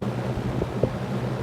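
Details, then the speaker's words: Superlectric box fan, plastic motor rebuilt with shaft bearing areas sanded with 320 grit, first start on medium speed: steady low hum with loose, uneven rattly bursts, too loud; dry, worn sleeve bearings, motor runs anyway. "motor runs anyway the bearings are crap it shouldn't make that much sound"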